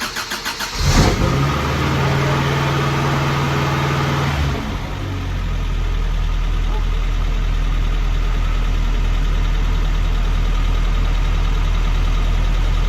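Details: Vintage Toyota 4x4 truck started for the first time in a year after the battery was charged and the fuel pump reconnected. It cranks briefly, catches and settles into a steady, even idle with no knocks or misses; normal.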